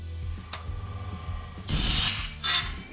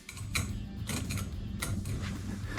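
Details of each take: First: Norwood BladeMate Pro sharpener on a sawmill band blade with incorrect tooth spacing: cycles about once a second with gritty grinding bursts, some harsh and uneven. The grinding wheel strikes a misspaced tooth in the wrong spot. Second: Norwood BladeMate Pro sawmill blade sharpener with the wheel adjusted down a tiny turn; steady motor hum and a light brief scritch about every half second as the wheel just touches each tooth front and glances off the top; correct grinding wheel contact.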